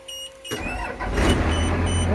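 A short crank catches quickly, and the diesel settles into a steady low clatter. It's a clean start after sitting.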